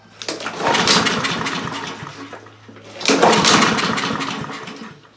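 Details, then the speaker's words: Honda HRR2156 push mower that runs and dies, new carburetor fitted: two pull-start attempts, brief sputtering bursts that fade without catching; throttle fully forward kicks the choke off instead of engaging it, suspected wrong choke linkage. "When you push the throttle all the way forward, it's supposed to activate the choke, but it wasn't. It was actually kicking the choke off."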